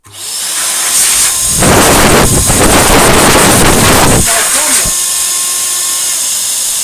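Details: 1949 Electrix paint sprayer blower after restoration, hose attached: a loud steady roar with a rough, fluttering rasp. Air is leaking past the rubber seal, and a tape repair did not fix it.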